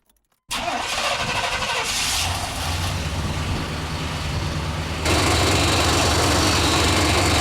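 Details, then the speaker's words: Vintage Chevy conversion van, cold start: loud, uneven clattering knock that goes away once warm; owner thinks power steering or some accessory. "the good news is once this van warms up whatever noise that is which i don't think it's the internet it's like the power steering or some accessory it goes away"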